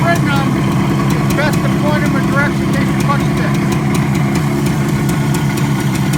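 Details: 1967 Kawasaki A1 250 two-stroke twin, freshly tuned up with donor parts, running on reserve with a little choke: steady, even idle burble, no knocks or misses; running clean and healthy.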